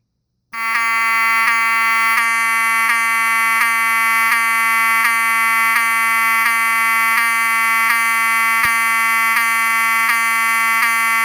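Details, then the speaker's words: Wheelock 7002T-24 horn with HALON lens, bench test: steady, bright buzzing tone with a faint regular tick about every 0.7 seconds. It sounds like any other 7002T and the horn works normally. "As you can see, it sounds like any other 7002T."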